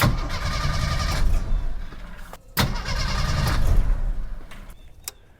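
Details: 1987 Jeep YJ 4.2L AMC inline-six, carbureted, sat 7+ years: two stretches of steady starter cranking about three turns a second, never catches; choke stuck open.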